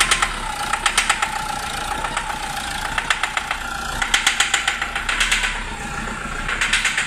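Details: Isuzu D-Max 1.9 RZ4 diesel with white smoke: sharp, fast metallic clatter in irregular bursts over a light idle. All four injector tips are leaking, causing combustion knock, with a risk of engine overrun. Diesel knock from leaking injectors.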